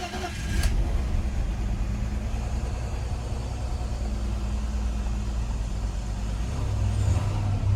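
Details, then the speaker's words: 2000 BMW 328Ci after replacing cracked intake parts and refitting the injectors: the engine catches and settles into a deep, slightly lumpy idle with faint wavering, running better but not quite right. "seems like it's running better but still i don't i'm not sure if it's 100 but it does seem running better"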